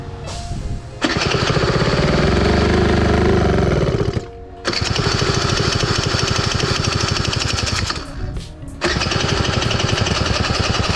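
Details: Honda Joker 50 scooter that sat unused a long time, after fuel pump replacement: repeated starting attempts, engine catches and revs unevenly for seconds then cuts out. Hard starting; a leaking pipe was found.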